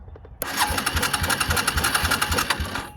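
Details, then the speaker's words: Suzuki Quad Runner LT160 ATV of unknown condition, cranked by bridging the starter solenoid posts with pliers: the starter spins at once and cranks the single evenly at about four compression beats a second; the engine turns freely. "And the engine turned over smooth, okay?"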